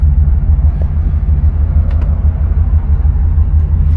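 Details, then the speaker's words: 1975 Pontiac Grand Ville convertible, 350 V8, driving and shifting cleanly: steady low V8 rumble with road noise, no squeaks, belt squeal, rattles or knocks from under the hood; engine sounds healthy and solid. "No weird squeaks or anything like that coming from under the hood. No belts. I don't hear anything shaking or squealing."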